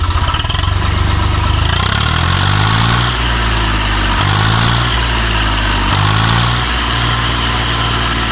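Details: 855 FE diesel after replacing a broken rocker bolt with a genuine part (had engine noise and black smoke): steady idle with a couple of throttle blips, even firing, no knock or rattle; running normally.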